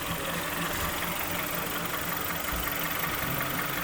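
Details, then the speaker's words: Kia Sportage 3 2.0 G4KD after a full overhaul with factory flaws corrected, first start heard from underneath while warming up: quiet, even idle, no knocking or ticking, no leaks; normal idle. "Так, ну вот, Kia Sportage. Вот так он работает снизу. Прогресс. Все сухо. Все тихо."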